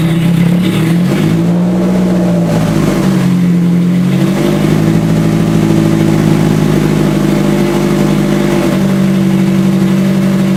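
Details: Scion FR-S with a rebuilt 3SGE engine swap on a new tune: the engine climbs and settles cleanly through several blips with a steady, even tone and no misses or knocks; healthy running.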